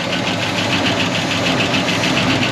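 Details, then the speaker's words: 1969 Buick Wildcat, barn-stored 26 years since 1998, idling after revival with oil pumping strong to the valvetrain: quick, even tapping of about five per second over the idle; the lifters are quieting as it runs, alongside a fender rattle. "look at all of that dude oils pumping strong down on the valve train it's those lifters are quiting and way up the fender rattles quiting it up"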